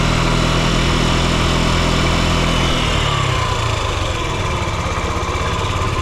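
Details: Yamaha Gear UA08A scooter single running a smooth, even low putter around three beats a second, no knocks or rattles; quiet healthy idle.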